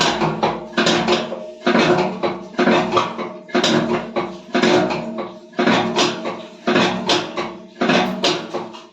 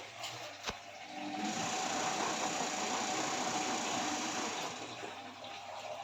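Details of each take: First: IFB front-load washing machine, heavy thud with rattle about once a second as the drum turns; broken drum bracket lets the drum knock, needs bracket replacement. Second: IFB front-load washing machine after repair fitting a new drum bracket for drum noise: steady water rush and even pump hum, no knocking or banging from the drum; running normally.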